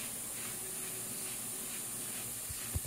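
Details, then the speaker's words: Nelson EZ Pro Jr. 8300 series irrigation controller, about 20 years old, manual cycle: steady hissing spray, then a couple of soft clicks near the end; zone valve open and sprayers running normally. "And you can hear it going, clicking and going on, and you can see the sprayers spraying."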